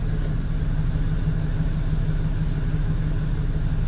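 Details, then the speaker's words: V8 with a P0300 code and low power, with fuel pressure and injectors checked as balanced: lumpy, stumbling idle. The scan tool misfire counters point to cylinders on bank one. "here I'm a scan tool it shows all eight cylinders start it up it feels like it's from all of them it's not from all of them"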